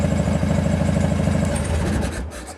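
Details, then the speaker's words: Carbureted Harley-Davidson, a follow-up on the click of death and solenoid cover fix. Cold start on choke after sitting three to four weeks on a battery tender. Catches straight away and settles into an even, loping V-twin idle with no clicking or stumbling. "that's after sitting in my garage for a couple of probably I haven't ran the bike here in about three or four weeks the only thing I've had it on is a battery tender"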